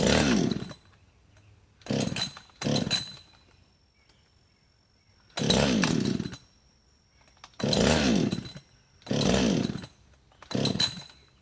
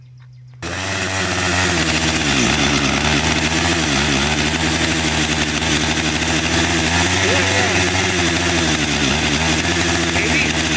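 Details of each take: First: Husqvarna 562XP chainsaw, hot after running and sitting 15+ minutes in the sun at 91°F and about 100% humidity, on choke: seven rasping recoil pulls and it never fires. The primer bulb pulls no fuel; the owner suspects vapor lock. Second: Husqvarna 562xp finally running after a hard hot restart, at 91°F and humid: loud, raspy two-stroke howl holding steady at high revs, small dips under cutting load; runs strong and clean.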